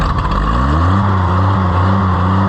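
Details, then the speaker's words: Oliver 880 tractor after timing and governor linkage adjustment and throttle fix: engine climbs to speed then holds with a low rhythmic bump about twice a second as revs hunt; governor surging. "So that surging, there is actually an adjustment with a screw. It's got like a spring on it."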